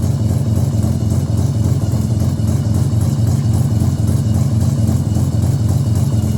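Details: Mazda RX7 bridgeport 13B rotary, EFI conversion on a borrowed Microtech ECU with a 1000cc-injector map on 700cc injectors, untuned: steady lumpy idle with fast rough pulse; idles but won't take throttle, hot-restarts fine.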